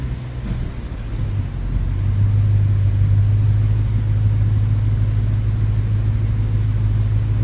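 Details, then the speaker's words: Infiniti M45 VK45DE V8 idling after cleaned pulley refitted and belts reinstalled, before warm-up: low, even idle with smooth steady hum, no belt or pulley squeal; the cleaned pulley later began making noise once warm. "it's really quiet I don't hear anything at all right it sounds pretty quiet"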